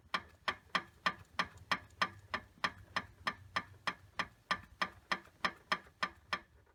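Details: Daihatsu Terios Kid J131G, 2001, 98,984 km, sharp regular ticking knocks about three per second over the engine hum. The noise is not from the engine itself: the alternator mounting bolt is broken; a countermeasure part was supplied.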